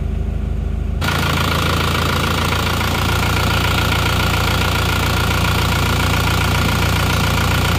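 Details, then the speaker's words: Diesel car left unstarted for 3 years, towed in from Jakarta, started after oil and panel lights came on: catches at once and settles into an even clatter, about three beats a second, steady and unbroken; healthy idle, then warmed to working temperature. "ternyata langsungegrang [Musik] hiupnya dan rata pun"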